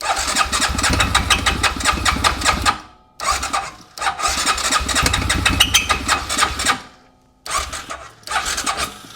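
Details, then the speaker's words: Blown-up engine with fuel added, spark present: harsh metallic squeal and grinding in uneven bursts while cranking, never starts; owner suspects crank-related bottom-end fault, not confirmed. "Why is the engine making crazy squealing noises?"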